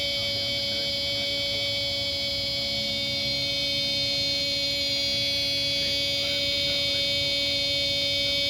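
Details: Car cranks but won't start, engine off: steady high-pitched electrical buzz with hum under hood after applying NOCO NCP-2 battery spray; Windex and baking soda used to remove coating from cables; cause unknown.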